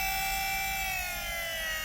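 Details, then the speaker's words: Astra electric power steering pump fitted to a drift car, sitting on the chassis before its bracket is installed: a loud, steady high singing whine that eases slightly as it runs. Normal, louder than it will be once the bracket is on. "And then it seems to back off a bit once she's been running for a bit. Because it's just sitting on the chassis, so it's louder than it will be."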